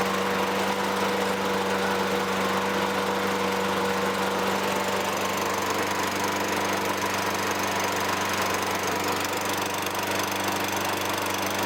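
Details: 2003 Toro Recycler 20016 with Tecumseh 6.5 single-cylinder, a trash find, runs after carb cleaning and clearing debris from the gas tank. It runs steady and even with no misses or surging. Slight smoke lightens; owner suspects a minor leak.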